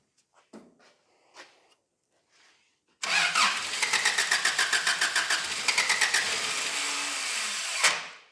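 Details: 1985 Daihatsu Rocky 2.0L petrol, first start attempt after months sitting, fuel bowl gunked up: starter churns in quick uneven pulses about four a second then keeps cutting out before the engine catches; starter failing.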